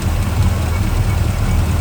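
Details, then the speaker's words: Small block Chevy V8 with hydraulic lifters idling, rocker loosened deliberately: light quick clatter over the rumble from a loose rocker arm with too little preload, before adjustment; rocker arm chatter. "What I'm going to do is loosen these to a chatter and then I'm going to tighten them. Now you hear that chatter."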